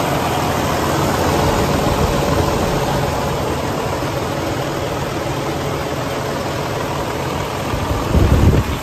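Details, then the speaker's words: 2012 Western Star 4900FA truck with a DD15 diesel (475 hp) and 13-speed manual. The engine is held at a raised idle with a steady, even rumble and no knocks or misses, then brought back down to idle. It runs smooth: normal high idle. "I'm just going to bring it back down to idle for you so you can hear it idle. You can hear it run smooth."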